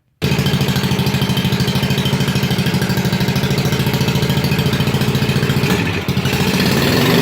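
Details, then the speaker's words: 1987 Wheel Horse 211-4 mud mower, single cylinder, warming up: uneven, loping thump with a midway stumble; idles on its own but owner suspects a jetting issue, maybe lean, though slight smoke suggests rich; carburetor possibly unsuited to snorkel airflow. "still has a little bit of a jetting issue I think it's running a bit lean it smokes a little so it kind of indicates that it's running rich but it'll idle under its own power it just has to warm up a bit"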